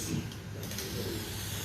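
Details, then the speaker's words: Vacuum filtration on a plastic Büchner funnel without a proper seal: a soft, steady rushing hiss of air under a low rumble, leaking because a good vacuum is not being pulled. "you can hear the air, and part of it is because there is not a really good vacuum there."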